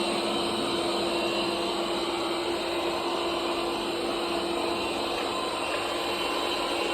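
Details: Bobsweep robot vacuum: constant loud whirring with a fixed humming tone, much noisier than normal running; source unclear.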